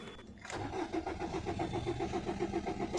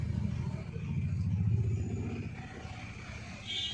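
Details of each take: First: 2011 Maruti Suzuki Swift Dzire diesel, immobilizer just repaired and key light no longer blinking: starter cranks steadily at about 220 compression pulses a minute but never catches; a main relay open-circuit DTC is stored, with possible carbon on the relay contacts. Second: 2011 Maruti Suzuki Swift Dzire diesel, previously no start with immobilizer light blinking; after immobilizer unit repair (diode added), engine cranks briefly, starts cleanly and settles into a steady even idle, service light goes off.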